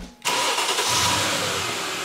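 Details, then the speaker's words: Mercedes-Benz with starter powered directly: engine catches at once and settles into steady even idle, fuel pressure building to about 57–60 psi; starter, fuel pump and relay working. "So as you can see, car built about, the engine built to about 60 psi, 57 psi, and the car is running."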